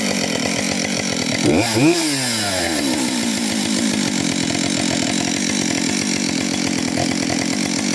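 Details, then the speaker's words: Husqvarna 565 chainsaw, first run after overhaul with a 372 cover fitted: strong even high revs through the cut, smooth dip and recovery under load, no misfire; slight smoke from bearings oiled during assembly. "Trošku dym, lebo som musel zaolejovať ložiská, ale inak spokojnosť."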